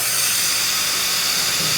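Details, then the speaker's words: Tsunami Pure 10 regenerative desiccant air dryer, muffler removed, tower shifted into regeneration; steady even high hiss of air exhausting with no chatter; piston sealing inlet air properly, normal purge. "and you can see the sound is slightly less when the muffler's off and so that's what it sounds like on a pure 10."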